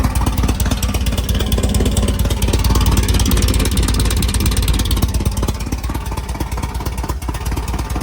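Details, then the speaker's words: 1967 VW Type 3 Squareback engine just installed, first start with starter fluid after points gapped and condenser fitted, exhaust not fitted; loud rapid even put-put with open-exhaust crackle, no missed beats, started right up, normal running. "all right it started right up so the points and condenser did work we have sparked everything seemed like it was okay except the exhaust"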